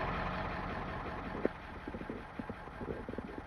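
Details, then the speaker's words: 362,000-mile Ford 7.3 Powerstroke OBS diesel idling after a fuel pressure spring upgrade and new air filter; idle previously bounced 600–800 rpm, now steady; even beat with light injector clatter and no surging, normal idle. "It would just sit there and bounce. Right now, wow, it is not moving."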